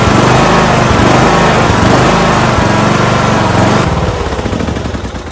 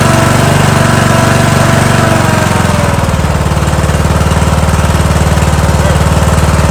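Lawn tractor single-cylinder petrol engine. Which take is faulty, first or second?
first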